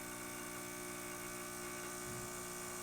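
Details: Quick Mill Andreja Premium E61 espresso machine after full service: descaling of the heat exchanger and steam boiler, and cleaning of the group head, E61 valve and water filters. The vibratory pump brews a test shot with a steady, constant buzz and no stutter or surging, running normally.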